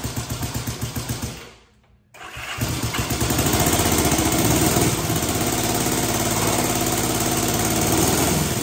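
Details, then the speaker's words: 1965 Honda CB77 Super Hawk first start after restoration, plugs swapped, a little choke: cranks, stumbles to near silence, then catches into a lumpy, uneven twin idle; carburetors still need adjustment; carburetors out of adjustment. "We're making progress. It's getting close. Carburetors need to be adjusted. There's all kinds of nuances that we need to deal with here."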